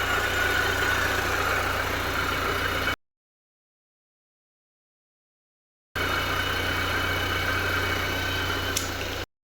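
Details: R53 Mini Cooper S, a few moments after a terrible-sounding first start: two stretches of steady even idle with a soft hum and no clatter or ticking, much quieter, smooth and settled.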